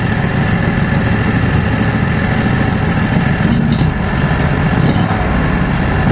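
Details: Predator 670 V-twin after adjusting the stock carburetor (brass caps removed), fed by an electric fuel pump with a crankcase vacuum line. Even, steady idle with no hunting or surging and runs smoothly. Factory idle was unstable; now stable.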